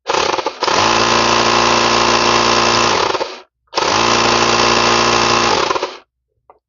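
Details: 12 V tyre inflator on bench power supply after repairing a dead circuit caused by a faulty motor relay: compressor starts at once, runs steady with fast rapid pulsing, stops cleanly, restarts smoothly; working normally.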